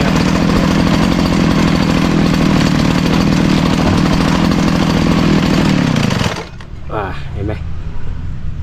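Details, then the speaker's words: Two-stroke 411 brush cutter about a year old, heard a ping while cutting and engine felt heavier: runs loud and steady while blade keeps turning at idle; suspected broken centrifugal clutch spring keeping clutch engaged. "แต่ว่าเมื่อตะกี้ผมตัดหญ้าอยู่แล้วได้ยินเสียงดังปิ๊งแล้วก็เครื่องมันอ่าเหมือนกับมันยังไงอ่ะมันมันหนักขึ้นนะครับเพราะว่าสปริงกัเนี่ยขาดพอสตาร์เครื่องปุ๊บเนี่ยใบปั๊จะหมนเลย"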